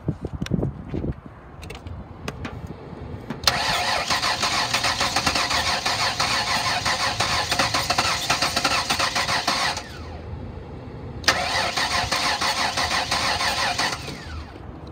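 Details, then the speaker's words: 2006 Ford Explorer 4.0L V6, 134,877 miles, former police unit, missing a spark plug wire: two long stretches of steady starter cranking with no firing; cranks but won't start, possibly fuel, coil or the missing plug wire. "it sounds like it wants to start but it's not starting"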